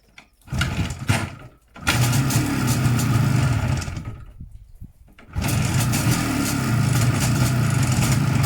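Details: 1987 IZh Jupiter 5 transitional twin two-stroke motorcycle: it catches and revs unevenly with a metallic ringing knock; the owner suspects the piston group, wrist pin or crankshaft, and possibly a noisy engine chain.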